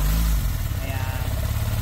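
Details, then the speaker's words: Sniper motorcycle engine at almost 90,000 idling after replacing the rocker arm and camshaft worn by oil filter debris, previously grinding metallic; low steady thrum with no rubbing or ticking, top end quiet now. "So ngayon ito testing tayo, sound check. Sige boy. Ayan, tahimik na."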